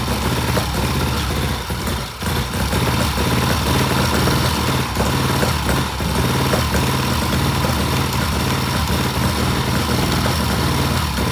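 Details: 1967 Triumph twin during timing work, dies when throttle given: uneven, lumpy idle with irregular firing and stumbles, worse than days before; rough running, cause not yet identified.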